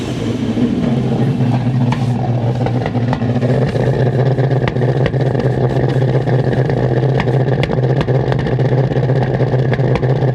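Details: Mid-90s Toyota Hilux ute with 1UZ V8 swap, previously had a worn thrust washer: loud lumpy V8 misfiring and backfiring with irregular sharp pops through an uneven drone, runs extremely poorly; cause still unknown.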